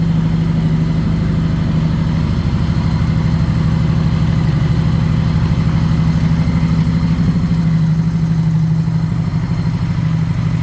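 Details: Honda Goldwing motorcycle, low mileage, sat 5 years, first runs after revival: steady low idle with slightly uneven, loping beat; carburetors completely out of adjustment, unsynchronized.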